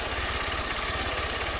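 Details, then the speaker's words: Honda CG 160 Fan, bought new, 6,000 km, on the first start of the day: quick light valve tapping at idle that fades as oil lubricates the top end. It only happens on the first cold start. "ó já tá parando já ó começou a lubrificar moto já tá parando mas ela só ela só fazia isso só na primeira partida do dia"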